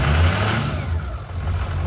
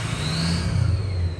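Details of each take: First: Ford 6.0 Power Stroke diesel after head gasket and head stud job, first start after oil priming and fuel bleed: deep, lumpy idle lacking the normal turbo whistle because the VGT turbo vanes are not actuating and stay stuck open. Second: Mostly stock Ford 6.0 Powerstroke after head studs and head gaskets, with the previously dead exhaust back pressure sensor now reading: the engine revs and a clear high turbo whistle rises and holds with throttle. The turbo is spooling properly.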